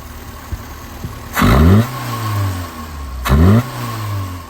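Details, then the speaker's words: 1979 Fiat 124 Sport Spider 2000 with single-plane intake, after fixing carburetor linkage so secondaries open fully: two sharp blips climbing and falling cleanly to a low deep idle; deep, throaty, healthy, opening all the way. "That sounds awesome. Deep and throaty. And it's opening up all the way."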